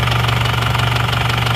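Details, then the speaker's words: Isuzu Panther diesel after repair, warm at 79 °C: steady, even idle clatter with a regular firing beat, no stumble or extra knock; oil filler check shows no smoke, engine running evenly and normal. "Jadi sudah oke juga ini kondisinya. mesin rata. Nggak ada asap,"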